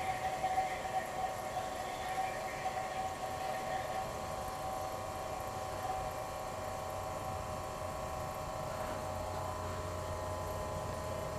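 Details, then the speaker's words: Old GE Monitor Top CK-2-C16 refrigerator, first run on three cans of R152A: quiet steady hum with soft even hiss, no knocking; evaporator getting cold, about 175 PSI high side, motor load going down; running normally. "Evaporator's getting cold. Run at about 175 PSI on the high side. Notice the load on the motor is going down. That's encouraging."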